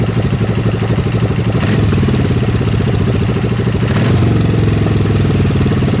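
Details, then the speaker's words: Suzuki GS500 after a fix for a weird noise where revs had dropped sharply and the carburetor seemed to push back: steady, even low idle with a smooth beat and no air-rush or rev dips; normal idle. "I think I fixed it it's not making that weird noise"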